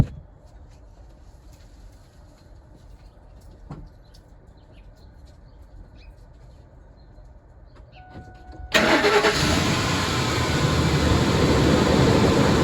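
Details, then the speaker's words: 2004 Lincoln Navigator after spraying WD-40 on the serpentine belt: engine cranks, catches and settles into a steady idle with no squeal or chirp; the belt noise is gone. "there you guys have it as you can see the noise is basically gone just by spraying some wd-40"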